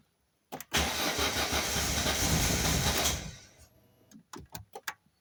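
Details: Volvo 480 Turbo cranks steadily for about two and a half seconds after a click but never fires, even after the fuel pump, leads, spark plugs, rotor and cap were replaced; something else is still at fault.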